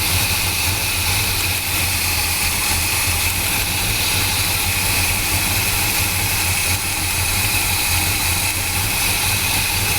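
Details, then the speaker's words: 1978 Chevrolet K30 with 1984 350 V8 and HEI ignition, after new plugs and wires: loud idle with uneven lope and occasional stumble; cylinder 3 dead, its new plug wire burned through against the header. "I figured it out that I'm pretty sure it's that plug that does not make any change when I unhook them all. So, guess what? I looked up the firing order, and that should be cylinder 3, which is the one that I suspect is hitting the header right there."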